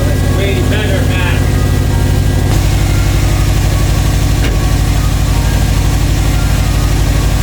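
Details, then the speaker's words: 2007 Subaru WRX STI, first cold start while burping coolant after fitting a Perrin up-pipe, 2018 STI VF48 turbo, Invidia catless downpipe and Q300 exhaust. Steady, even idle with the earlier airy puffing from the turbo gone; pre-turbo leak fixed. "but man you could already tell right away this thing's not leaking anymore it had such like a pup pup like Airy noise coming from the turbo"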